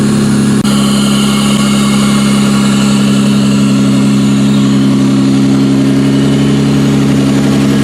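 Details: 1992-1996 Toyota Camry V6 on a homemade standalone harness, terminals just tightened, air intake fitted, no key, in drive: steady even idle hum, smooth low drone, no misses, knocks or rattles; normal healthy idle.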